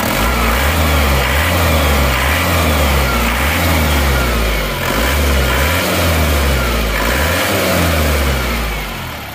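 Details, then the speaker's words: Isuzu Panther L 1740 diesel after piston ring and piston replacement, warm at 82 °C, idling, no exhaust smoke. Smooth, steady, even beat with no knock or misfire: normal diesel idle. "ee knapotnya sudah hilang asap tidak mengeluarkan asap kondisi stasioner suara mesinnya seperti ini halus ya"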